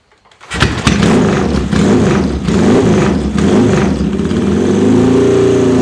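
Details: Norton twin with JS lightweight pistons at 40,000 miles, about 1% leakdown: it catches quickly, revs cleanly a few times, then settles to an even burble with no rattles or knocks. A healthy engine.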